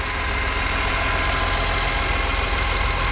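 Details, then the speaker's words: BMW E46 M3 S54 warming up just after an oil change with 5.5 L of Castrol, with light, quick top-end ticking of about three to four a second at idle; suspected VANOS rattle, likely not fixed by the oil change. "Alright, let me get some heat in it and we'll see if it's any quieter. And you can already hear it ticking."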